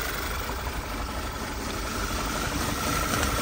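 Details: VW 2.0 TSI turbo (Tiguan), P2187 code, bell housing oil leak; idling before brake cleaner is sprayed through the torque converter check window, where it then runs better, confirming a failed rear main seal; slightly uneven, shaky idle pulse, crankcase vacuum leak.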